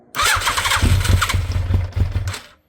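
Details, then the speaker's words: 1980s Yamaha superbike, carbs rebuilt, stored 16 years, flat battery on jump leads; starts on choke, runs roughly a couple of seconds with uneven pulses, then cuts out. Cold start on choke. "it's been a while let's give it some choke"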